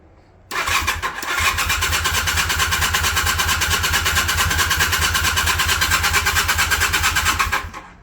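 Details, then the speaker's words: 1981 Honda CM400 that has sat since 2000, first start attempt on dry carbs with starting fluid and fuel on: steady cranking pulses about three per second for seven seconds without catching into a run; hard starting, cause unconfirmed. "Okay. First start, let's crank her over, see what happens. Will she start? Give her a little snort of the starting fluid since the carbs are dry."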